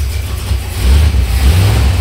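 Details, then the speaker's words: Dodge 383 V8 that sat for years, just revived, 60 psi oil at idle: deep rumble swells cleanly on throttle blips and drops back without misfire or rattle; normal revving. "oh nice yeah all right very excited sounds amazing I gotta stop revving it up because I keep getting gas in my eyes"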